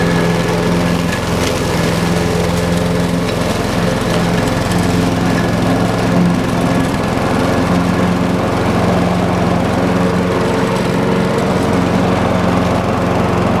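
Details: Craftsman 6.75 lawn mower that would not start after winter storage, running after carburetor cleaning (a clogged port or jet, bottom one suspected): steady, even drone at constant pitch, no stumbling or surging; runs smoothly.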